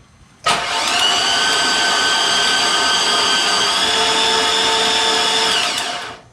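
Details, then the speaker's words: Chevy 5.3 engine project, 252,979 miles, first crank after rewiring with no spark plugs and no fuel pump, watching for oil pressure: smooth, fast, even whirring crank without compression pulses or firing. "don't see any oil pressure yet okay because we have no spark plugs"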